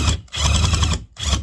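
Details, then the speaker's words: Impact drill boring into driftwood: rapid rattling clatter in bursts under load from the drill's hammer action. Normal, not a fault. "hear that clicking it's because it's like putting little impacts in there which i actually don't like"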